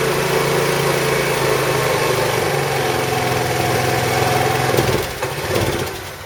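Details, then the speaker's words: 2008 Roketa Sicily 150 scooter: slightly uneven, loping idle, then revs sag and the engine dies when the throttle is released, during a carb-cleaner leak check; cause unconfirmed. "so he does that too where you go to pull the throttle back in it just dies"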